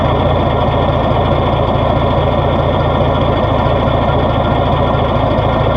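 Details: 1970s Rinker boat with Mercruiser 165 hp, 1970–78 engine, cold start: steady, even low rumble at idle with no surging, knocks or misses. Normal idle.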